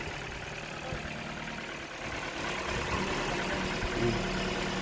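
The engine settles into a smooth, steady idle just after starting, with an even low murmur and no misfire or stumble.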